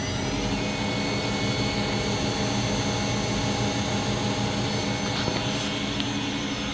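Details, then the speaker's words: Spindle of a 1999 Miyano BND 42C5 lathe started at 3,000 rpm, giving a smooth, steady whine over an even hum with no knocking, grinding or wobble; normal spindle running. "And I'm going to just start the spindle at 3,000 RPM."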